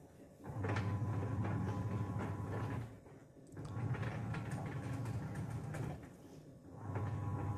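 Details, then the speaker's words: Sharp single-tub washing machine: low hum from the agitation cycles with scraping ticks riding each stroke, stopping at the pauses; a coin or bolt-like object is likely caught at the pulsator edge, rubbing during washing. "उसके दोस्तों की आवाज washing machine की आवाज़ है जैसे कि घर्षण वस्तुएं हैं, और यह बहुत परेशान करने वाला है।"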